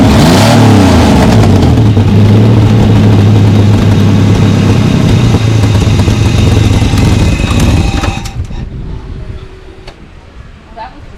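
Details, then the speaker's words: Holden VL Commodore, first start after painting and installing new extractors and cat-back exhaust, cam and ignition timing just adjusted: loud, deep, throbbing exhaust booming at idle, harsh until shut-off; still a little too loud. "start exhaust exhaust on hopefully it's not as loud but not too quiet it's still a little bit loud cuz it's"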